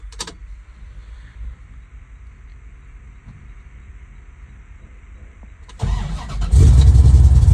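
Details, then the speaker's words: Freshly restored 1970 Plymouth Road Runner V8 with headers and Tremec 5-speed: quiet cranking, then catches and settles into a deep, slightly lumpy idle with steady rhythm; normal lopey idle. "And it's got a bit of a rump."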